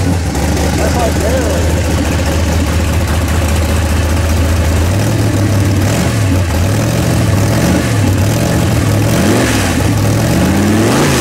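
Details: 406 small-block Chevy V8 in an S10 during break-in, timing at 34 instead of 38 degrees, mixture richened; deep lumpy idle with several clean throttle blips, no stumbling, running better though not yet hot and timing possibly off.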